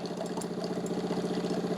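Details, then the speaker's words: De'Longhi TrueBrew CAM51025MB brewing espresso, building pressure with a squeaking sound before pushing water through; the espresso comes out very hot. Fast, even pump pulse with a faint squeaky edge; normal espresso pressure build-up. "what you hear with the espresso you hear kind of a pressure build up it's hard to explain but it's definitely building up some pressure and then Brewing the water through it"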